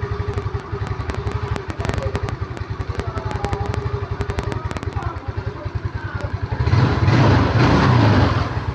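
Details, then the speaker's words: Yamaha Mio Smile scooter whose complaint was topping out near 40 km/h and losing power under throttle. After the adjustment was set at 3 turns, it starts instantly with crisp, even idle pulses, then revs cleanly and strongly. Normal revving. "Nah, dia langsung nyala ya, tidak kesusahan seperti yang sebelumnya tadi. Oke, mantap ya."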